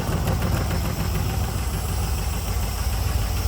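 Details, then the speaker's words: Rough-idling 2003 LM4 aluminum 5.3 LS V8 on a run stand with Holley LS swap headers and dual-plane carb intake (1971 El Camino swap): sharp ticking puff on each firing pulse, bad exhaust leak; header bolt likely under-tightened, broken-off studs, reused gaskets. "And then it's got a really bad exhaust leak. You can probably hear it, but I don't think that we tightened that one enough."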